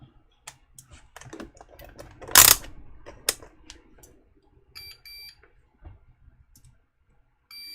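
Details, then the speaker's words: Apple HomePod with no power, multimeter in continuity mode across a board diode; a few probe clicks, then short solid continuity beeps, showing the diode is shorted and needs replacing. "Yep, that diode is shorted out. Let's get it replaced."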